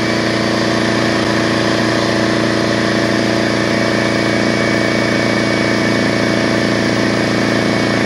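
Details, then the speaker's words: DeWalt 4.5-gallon air compressor that had a no-start condition, belt and cord fine, tank rinsed: constant even pump chatter and hum under load as pressure builds, no knocks or squeals; running healthy. "so I'm gonna go ahead and turn it on and so you can hear it working right here"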